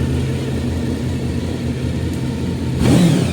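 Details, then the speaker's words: Honda VFR 750F V4 motorcycle, warm engine after reassembly: a smooth idle, then a clean rise in pitch as the throttle is blipped, with no metallic rattle and no smoke; healthy. "Газуем. Дыма нет. Все отлично."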